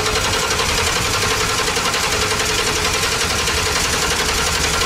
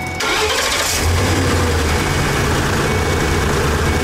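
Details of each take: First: 2012 Ford E350 with a new fuel pump, cranking at about four turns a second with the fuel pump commanded at 50%: the engine never catches. Crank, no start, no fuel pressure. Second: 2012 Ford E350 after repairing the wiring at the fuel pump control module for a no-fuel-pressure fault: a quick crank, an immediate catch, then a smooth, even idle. It starts normally.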